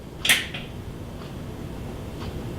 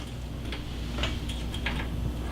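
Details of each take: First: Kenmore dual fuel oven with element not heating, plugged in and bake pressed: one sharp crisp relay click then quiet hum; relay energizes, lower element gets 245 V; normal relay click. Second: Oven set to bake at 300 degrees, bake element not heating with no voltage at the element though the unit has 247 V: a few light irregular clicks over low hum; control board suspected.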